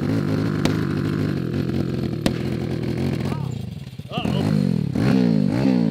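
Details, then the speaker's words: Homemade Yard Dart go-kart with a 190cc Zongshen five-speed, ridden on a cold day: the engine revs unevenly, sags and nearly dies, then recovers roughly; it had run out of fuel. It still ran wrong after refilling. "yeah that was weird oh wow yes low on fuel oh I think we're out of gas that makes sense"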